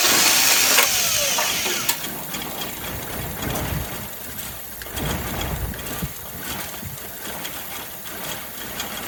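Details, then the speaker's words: 1983 Toyota 22R (Encore motorhome) sat over 20 years, fuel poured down the carburetor: starter cranks, engine catches and sputters unevenly a few seconds on the poured prime only; has spark, fuel system faulty. "all right away we go for some of this truthful down the carburetor it's all around the carburetor there we go that'll probably run for a few seconds before it explodes"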